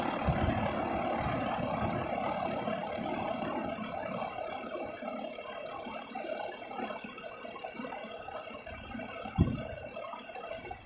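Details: SmartComfort heat pump making a strange noise every couple of minutes; low steady hum broken by irregular thumps and a short hissing, watery rush; intermittent rushing or gurgling noise.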